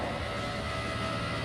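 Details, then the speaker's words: Electric in-tank fuel pump on a 1972 Ford Bronco with 5.0 Coyote swap, powered straight from a battery, circulating through filter and return line back to the tank with no leaks: steady even whir, faint constant whine, no stutter or surging. "pumps running inside the tank so it's coming out this line into this filter and coming back on this line and drop them back into the tank"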